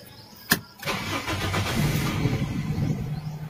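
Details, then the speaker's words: Toyota Big Body GLI cold start: short crank catches, idle only about 400–500 rpm, lumpy, sagging, misfiring and stalling instead of about 1,000 rpm; hard starting from a faulty ECT coolant temperature sensor. "Ayan mga boss, namatay siya. Oh, patay ulit. Ayan, baba ng minor, bumabagsak."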